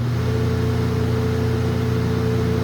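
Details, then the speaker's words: ILG Industries Panel Mount 163 fan, 2-speed GE split-phase motor started directly on high speed (4-pole, about 1725 rpm), from 0 to full speed: loud steady hum, constant tone, no rubbing, rattling or wobble. Normal high-speed running. "And then I will start it up one time directly on high speed so you get to see how it accelerates, going from 0 to warp speed."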